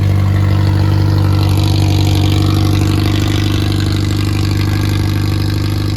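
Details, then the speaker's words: Freshly rebuilt Triumph Spitfire 1300 (1296cc) engine from a '72 Spitfire on test run: new pistons, bearings, 270 cam, shaved head ~8.5:1, balanced, compression 137-140, good oil pressure: steady smooth idle, no knocks, ticks or misses; healthy. "it runs well has good oil pressure compression was 1 35 to 140 across all the cylinders"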